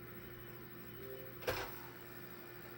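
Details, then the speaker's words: Faulty Xbox 360 that wouldn't open or read discs, after repair: empty disc tray opens and closes with a brief motor hum and soft clunk at its stop; tray mechanism working normally. "all right you can see that it is opening now just close it it does close so obviously there's no disc in it but let's open it again"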